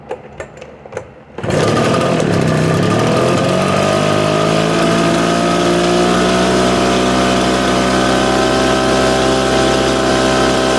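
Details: Echo PB770H two-stroke blower with a hot-restart problem, restarted with no prime and no choke after an adjustment screw was backed off a quarter turn: a few quiet sounds, catches on the first pull, settles into a steady high drone; starts easily hot.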